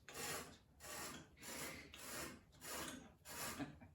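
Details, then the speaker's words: Suffolk mower side-cover bearing, hand-turned after sandblasting: a dry, gritty rasp on every stroke, about ninety a minute, with no smooth spin; sand got inside, so it must be dismantled and cleaned. "like it's about the sand so I'm gonna have to get that apart clean it all out"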